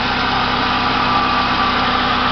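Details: Fiat Palio Adventure left idling to check battery charging: smooth constant idle with an even beat and a light steady whine, no misses or knocks; healthy running engine.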